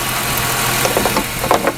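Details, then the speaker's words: 2001 Ford Mustang 3.8 with a sputtering/misfire complaint under sudden throttle (new EGR valve, wires, plugs; old coil pack tested good): smooth, even idle with a low steady hum, no misses or knocks; idle sounds totally fine. "So, the engine sounds okay to me. It's the way I got it. Sounds okay on idle. Totally fine."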